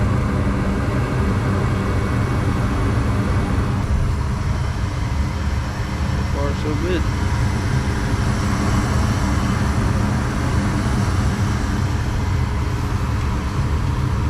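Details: Newly installed replacement gas furnace at first startup: steady, even low rumble with no knocks, rattles or surging throughout; burner and blower sound healthy.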